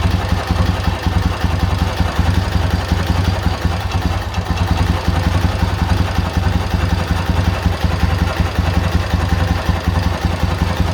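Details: K-750 boxer-twin motorcycle at idle after timing gears replaced (crankshaft gears changed), ignition fed directly to coil: deep, steady lumpy idle with no knock; the idle knock is gone, gearbox condition unknown.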